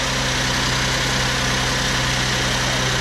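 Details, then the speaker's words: 2008 Ford Edge 3.5L Duratec V6, first start after water pump, timing chain set and thermostat replacement: smooth even idle, steady low hum, no ticks, knocks or squeals; normal idle. "Sounds like good. It's always a good thing after you do a major repair like that actually run."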